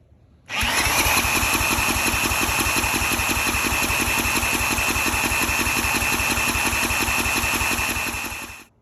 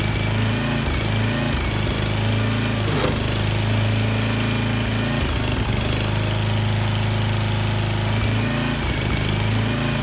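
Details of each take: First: 34-ton log splitter's small engine, bought as supposedly blown up, after new plug, new fuel line, cleaned carburetor and oil change: cranks with even starter whir and regular compression pulses but never catches; carburetor bowl found empty, no-start from fuel starvation. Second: Small petrol engine on a 34-ton log splitter, bought cheap and said to be blown, restarted after the leaking hydraulic return line was reattached; it holds a steady, even low drone with no misses or knocks and runs fine.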